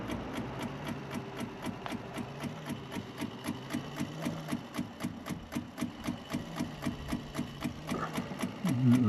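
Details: Triumph TR7 wiper motor powered from the battery with the linkage being checked: a rhythmic whirring near four beats a second, labouring and uneven; the wipers can be stopped by hand. Weak wiper motor.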